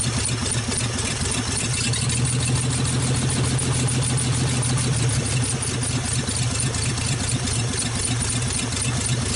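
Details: 1948 Nash engine after first start, carburetor rebuilt, water hose flushing cooling system, warming up; loud raspy open-exhaust putter with steady even firing and no stumbles, running well.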